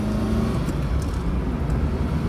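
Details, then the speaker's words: 2000 Fiat Panda Young (141) accelerating from standstill after rebuild for worn rings and oil burning: new rings, valve seals, oil pump, timing chain and tensioner; smooth steady deep drone under acceleration, no knocking or rattles, healthy. "ma è proprio un'altra cosa io un motore di panda così silenzioso non l'ho mai sentito"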